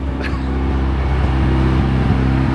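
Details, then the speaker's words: Golf Mk1 AWD (4motion) with 1.8T, engine just reinstalled with new clutch, flywheel and pressure plate: even, steady idle sitting noticeably high with no hunting because no idle control is fitted. "You can hear the idle is quite high, but again it's because I don't have idle control."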